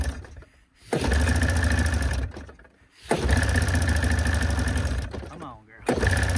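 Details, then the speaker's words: 1987 Arctic Cat Cougar 500 snowmobile with a Suzuki two-stroke, long sitting, gas poured into the cylinders and carbs: it fires briefly, bogs, surges in uneven bursts and dies. It won't take throttle. "oh she won't take any throttle"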